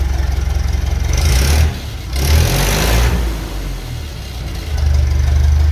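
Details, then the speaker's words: 1956 Lucas D3A4 distributor fitted, brief run with no coolant and radiator off: low engine note picks up and drops back through a couple of blips, revving evenly without misfire; sounds healthy. "Definitely revving anyway."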